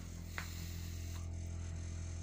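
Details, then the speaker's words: Solid-fuel boiler firing up from cold, temperature set to 62-63°: strong, deep steady hum with vibration through the whole house for about 15 minutes until it warms, then runs normally; owner doesn't know the cause. "вот пока не нагреется такой гул идет что с этим делать не знаю ребята подсказывайте"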